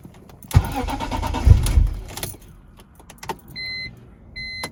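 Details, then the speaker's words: BMW E46 M3 that cranks without starting on the first try but starts on the second: short crank that catches, then a quiet idle with door chimes. The fuel pump, filter, relays and fuses are already done; fuel delivery and the injectors are suspected. "it still cranks but for some reason it feels like there's not enough fuel that's getting to the engine if i crank it one more time right after it starts right up"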